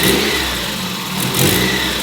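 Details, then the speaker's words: Warm Mazda Miata after 30K-mile service with new spark plugs, ignition wires and fuel filter, testing earlier low-end stumble: revs up and settles back evenly with no hesitation; seems a little better, sounds healthy. "a little bit better but regardless I have satisfaction of knowing I have new plugs and wires in the car"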